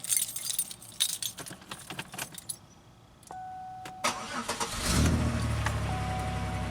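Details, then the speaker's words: 2003 Pontiac Grand Am GT coupe after battery replacement and new taillamp assembly: keys, then a quick, strong crank and the engine fires and holds a steady, even idle; much stronger start than before. "it sounds a lot stronger than it you know it did so yeah battery got our new tail light assembly in there"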